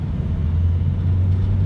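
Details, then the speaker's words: Ford C-Max 1.8 diesel after turbo repair for whistle on hard acceleration and oil in intake hoses, test drive: deep even engine rumble pulling well through gears, no whistle or hiss; normal acceleration. "посторонних звуков которые были больше не присутствует в принципе все машина готова к выдаче"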